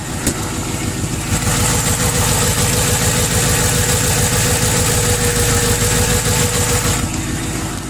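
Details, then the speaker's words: 2011 Crown Victoria P7A V8 with hollowed-out cats and no mufflers, at idle: a faint, steady knock about three to four a second under the exhaust pulse; rod knock is suspected over piston slap, unconfirmed. "here a little bit of rod knock that's not distance slap piston slapped"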